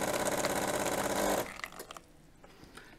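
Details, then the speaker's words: Jura F9 coffee machine, about 15 years old, after replacing a scale-clogged heater: steady buzzing pump hum for about a second and a half, then a clean cutoff as the heater fills and primes normally. "Słuchajcie grzałka zakowana w tej chwili jest napełniona I teraz możemy sprawdzać"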